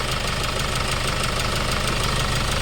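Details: Hyundai Starex D4CB diesel, replacement engine fitted for blow-by, after road test, no smoke, no blow-by at breather/dipstick: regular steady idle clatter, even beat, no misses or growing knock; smooth healthy idle.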